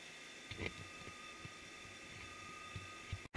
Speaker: if you listen carefully it rings [Music] let's get a close-up on that but not a zoom i mean actual close-up you can hear the ringing turn it up you can hear the ringing it's getting up to speed